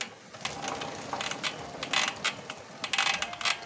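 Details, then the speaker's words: Motorcycle rear wheel gives uneven dry clicking and grinding rasps; the wheel bearings proved fine, but the sprocket carrier bearing was loose and broken. "খুলে দেখবো কি অবস্থা bearing মনে নষ্ট হয়ে গেছে স্পকেটে হয় চাকার মধ্যে দেখি কি অবস্থা কি হয়েছে"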